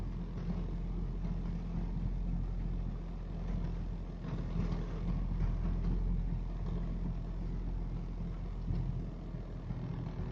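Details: Rover 214SLi K-series petrol, rough between 1000 and 2000 rpm with cabin vibration and poor throttle response below 2000 rpm: low lumpy drone with an uneven, shaky pulse and no clean rhythm; owner suspects misfire, unconfirmed.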